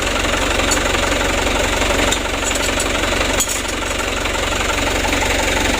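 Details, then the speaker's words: Mitsubishi Canter HD 125 diesel truck (possibly 2025) after Bosch injection pump service, idle set around 600–620 rpm; low, even clatter, steady slow idle, no misses or extra knocks; normal idle. "kalau untuk jarum rpm nya kita usahakan 600 teman-teman 610 20 juga masih bisa ya"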